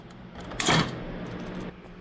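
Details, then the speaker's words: Mini fridge not cooling: shaking the removed overload relay from behind the compressor gives a short loose clatter of broken contacts inside; relay bad, replaced with new one. "Oh, yeah. This relay is definitely bad. You can hear the contacts in there."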